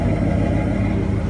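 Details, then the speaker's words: 1993 Ford F150 V8 after weeks of troubleshooting surging, high idle and rich mixture (timing chain replaced, 100,000+ miles): idle now a low, even rumble holding rock-solid 850–900 rpm with no hunting or surging, check engine light off. "you can see that the computer and the engine is running at rock-solid 850 to 900 okay it's not moving from there and doesn't move at all when I Drive it"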